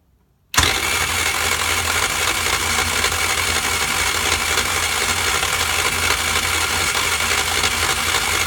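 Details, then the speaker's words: Old Japanese 49cc scooter with no spark; owner tested the stator and is bypassing everything but the stator and flywheel. Steady buzzy starter whir with even cranking pulses that never fires: crank, no start. "he thing will run I just cannot figure out why this thing is not throwing any spark out"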